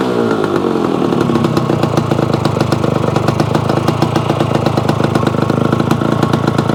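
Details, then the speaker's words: Yamaha AT-1 converted to CT-1 two-stroke motorcycle engine, first start-up after wiring and carburetor fixes, oil pump primed; crisp steady even crackle with quick regular firing, no knocks or misses; normal running. "The AT-1 to CT-1 runs. Sounds pretty reasonable."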